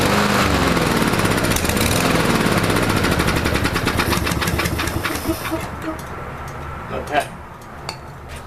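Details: Troy-Bilt TB230 169cc four-stroke gas lawn mower, Sea Foam sprayed into the intake: single-cylinder engine chugs unevenly, beat hunting, then stalls; owner later found a malfunctioning automatic throttle system, rough running.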